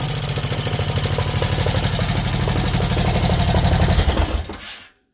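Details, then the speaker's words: Honda Shadow 1100 V-twin idling after fresh oil change with loud fast clatter, about four taps a second: valve tapping up top plus clutch basket rattle; the rod-knock-like sound came from the primary drive gear. "It's still got that pretty bad valve tapping up top, but that's not really harmful, and I can do that some other time."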